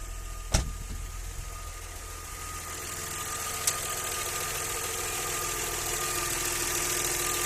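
Quiet idle just after start-up with a faint, irregular tapping at roughly three per second over a thin hum; a knock, cause unclear.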